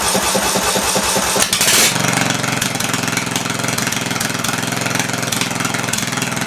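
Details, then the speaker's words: Massey Ferguson lawn tractor single-cylinder engine, sold as having a blown head gasket, first start: it cranks, catches and runs loud, unmuffled and uneven, smoking; suspected carb puddling, dripping fuel instead of misting. "So it does run. Sounds like the carb is puddling, or it's allowing drops of fuel into the engine instead of a mist."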